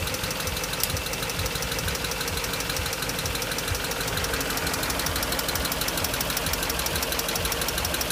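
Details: BMW X5 after timing job: steady rapid even ticking over idle about two per second, following engine speed, top-end sounding; cause unconfirmed.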